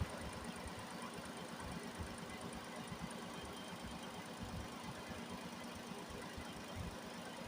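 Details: Nissan Almera after radiator cooling fan motor replacement and coolant top-up (no bleeding needed, system not fully drained): quiet steady idle, even low rumble, no knocking or rattles; running normally.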